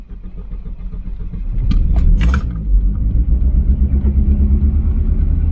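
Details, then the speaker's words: Volvo 940 Turbo that sat about a year: deep idle stumbles unevenly with rhythm dropouts, still misfiring badly after moisture was cleared from the distributor cap; suspected moisture cause not confirmed. "It's still misfiring like crazy. Maybe it was that, just a bit of moisture in the distributor cap."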